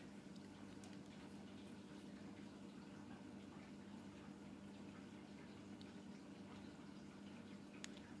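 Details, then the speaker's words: Hoover Dynamic 8 Pulse washer on 30° wool wash, first wash after repair with new heater element and new pump: quiet steady low hum with water sloshing and trickling; recirculation pump running normally. "Oh, that's the recirculation pump you're hearing."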